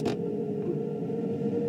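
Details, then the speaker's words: 2006 GE side-by-side refrigerator, about three years old: a steady mid-pitched oscillating whine over a soft hum. The owner suspects the evaporator fan motor is failing. "witness the incredible soundtrack of our GE fridge with its failing fan motor or whatever it's"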